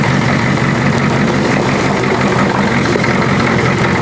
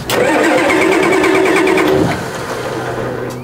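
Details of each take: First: Old diesel car after reconnecting the glow plug wire: steady, even clatter at constant speed with no misses or knocks; idling smoothly and healthily. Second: Old diesel car: starter churns about four turns a second for two seconds, then engine settles low and rough; slow, reluctant start, suspected loose glow plug wire.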